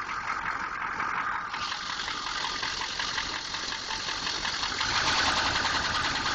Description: 6.2 engine knock